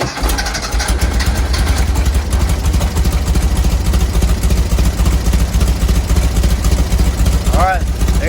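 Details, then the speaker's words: 1970 VW bus with dual 34 carbs and a new CSP bell crank linkage, first start before warm-up with mixture screws set two turns out: lumpy, uneven idle with an irregular chuffing rhythm; carbs not yet synchronized and mixture screws probably need fine-tuning. "you can clearly see it's not synchronized yet and the mixture screws probably have to be fine-tuned also"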